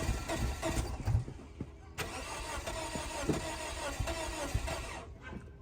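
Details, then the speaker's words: 2004 Scion xB that sat two years, weak/dead battery, fuel gauge on empty; starter churns about three uneven beats a second but never fires, crank-no-start, owner suspects it needs fuel. "All right, I just want to hear it turn over. Hopefully. Poor thing wants to run. You know, it may not have any gas."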